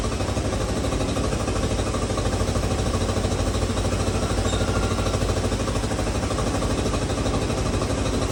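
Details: 1986 Honda CT110 after a carburetor rebuild, with the mixture screw turned back to where it started: an even, steady single-cylinder putter at about three beats a second with no stumble or hunting. Normal idle.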